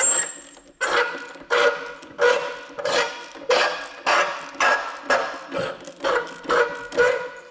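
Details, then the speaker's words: Seized Sterling (Honda clone) 3-inch trash pump turned slowly by hand via the recoil: a scraping grind repeats about every 0.7 s. The piston moves fine, so a rock is suspected stuck in the pump housing. "there must be a rock stuck in that pump the Piston's moving up and down fine so I'm thinking we're just going to have to take that pump side apart"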